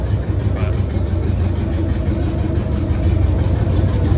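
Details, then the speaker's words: Chevrolet C3500HD V8 idling, clutch pressed, runs better than before but with a heavy misfire: deep loping uneven thump, two cylinders not firing even after coil packs were swapped; owner suspects gummed-up injectors, cause unconfirmed, oil pressure good. "So, this is the best that it runs. Has ran, but you can hell tell it's got a hell of a misfire,"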